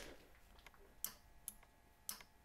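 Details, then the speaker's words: Car line lock wiring test: sharp relay clicks, about four in two and a half seconds, as the line lock relay switches on and off, showing the line lock works normally. "yep i hear the line locker relay clicking on and off so the line locks working"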